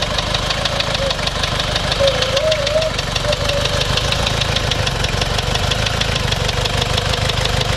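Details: Toyota Surf 1KZ-TE diesel idling after stalling from two minutes at 3000 rpm: sharp regular knock over a slightly uneven beat, smoking and misfiring; owner suspects blown head gasket as it seems to consume antifreeze.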